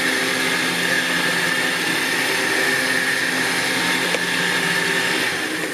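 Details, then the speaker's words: Badland 12,000 lb trailer-mounted winch with a wireless receiver, replacing a 9,000 lb unit that sounded wrong from the start. A steady, high-pitched motor whine holds an even pitch under load, then winds down; it pulls normally. "there we go this one no problems obviously you could hear it that nine thousand pound was wrong with it from the beginning"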